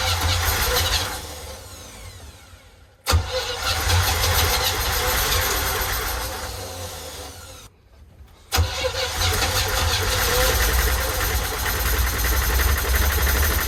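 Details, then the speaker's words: 1972 Winnebago Brave, 350 Chevy V8 after massive failure: fires after long cranking, runs rough and lumpy, possibly on seven cylinders; stretched or skipped timing chain suspected, valve cover bolts found missing or loose; carburetor fuel supply being sorted. "doesn't sound good guys doesn't sound good it is running on all eight cylinders i think well maybe seven cylinders could be seven"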